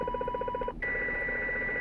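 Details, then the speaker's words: CB radio receiver near a neighbour's house, interference centred on channel 29 splattering onto 28 and 30: rapid buzzy pulses about fourteen a second, then a steady high whistle; source suspected to be grow lights, not confirmed. "all right guys help me out here I'm close to a neighbor's house that's emitting this pretty loud sound a little bleed over on the 28 but it's really originating from 29 Channel 29."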